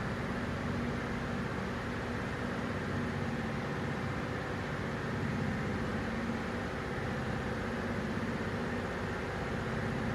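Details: Toyota Tundra 3UR-FE V8 at idle: steady idle with an uneven, choppy pulse under a constant hiss as cylinder number 7 misfires and drops out.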